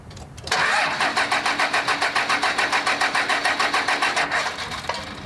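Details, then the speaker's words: 2000 Dodge Ram 2500, 24v Cummins turbo diesel, after a 150hp injector install: steady starter cranking at roughly three and a half compression beats a second that never catches, because air is still trapped in the fuel lines. "I'm gonna go ahead and close these guys off, put the intake horn, and see if we can't hear a fire."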